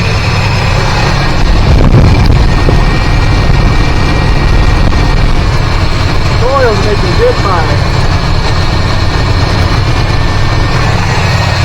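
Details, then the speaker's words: 1985 GMC C25 with 454 (7.4L) V8, new 750 carb, idling: lumpy, uneven beat like cylinders dropping out; unplugging two plug wires changed nothing, so a misfire is suspected from bad spark plugs and wires, which are to be replaced. "I had at least two of them uh disconnected and it was running the same. So, we're never going to get any good performance if we don't have good wires and plugs."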